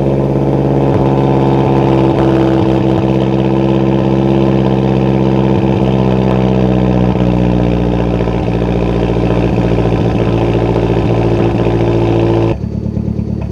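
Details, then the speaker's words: 2008 Mazdaspeed 3, 2.3 MZR turbo: starts fine cold, but after a couple minutes develops a misfire with check engine light; idle stumbles with uneven, irregular puffs instead of a smooth beat. "sounds mean like a Mazda speed and uh after a couple minutes it develops a misfire"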